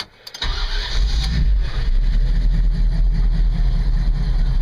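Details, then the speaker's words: Truck cold start at 27°F with coolant shown at 180 then about 160, unplugged before starting, three gas pumps first: short crank, catches at once, settles into a deep steady even idle with no misses or knocks; normal cold start. "starts right upid so we're going to let this warm we going to get it turned around"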